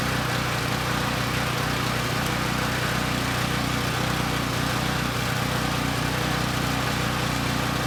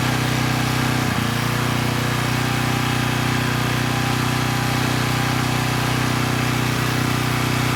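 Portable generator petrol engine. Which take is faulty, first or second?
first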